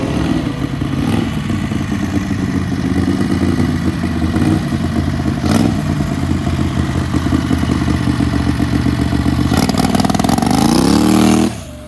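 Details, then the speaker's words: Turbo Predator 670cc V-twin dragster on nitro-methanol blend, about 8 psi boost, over 8,500 rpm on a drag pass: engine screams up as the belt slips, then violent clatter and bang as the CVT torque converter driver bursts; CVT clutch explosion. "blew up the torque converter and uh yeah the torque converter exploded the torque burner exploded"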